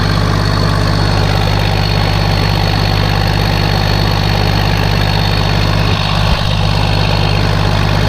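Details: Case 1450B dozer with a freshly rebuilt diesel engine, just started after reassembly: deep, steady idle with an even low thrum and no knocks or misses. Oil pressure is rising toward 40 psi on a mechanical gauge, and it sounds healthy.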